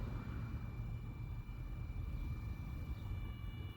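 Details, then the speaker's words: Mercedes W108 during fuel line flush, feed line from tank disconnected to a hose, electric fuel pump powered from battery: steady low hum with a thin constant high whine; pump running smoothly, drawing fuel, some dribble. "You can hear the pump is running already. So we should be sucking fuel here."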